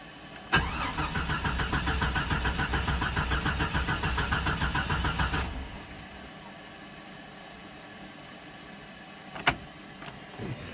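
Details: 1996 Jeep Cherokee Sport 4.0, after about 13 minutes running, engine died: starter cranks about three and a half beats a second for five seconds but never catches. Typically shuts off after ~20 miles, restarts once cooled; cause unknown.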